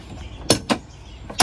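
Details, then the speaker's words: Honda Pioneer UTV door after the rattle fix (adjustment plus a washer added on top, latch untouched): three crisp, clean door thumps with no loose rattle. The door now sits solid and quiet. "So now I'm gonna open the door, and look at that, nice and quiet, nice and quiet, solid."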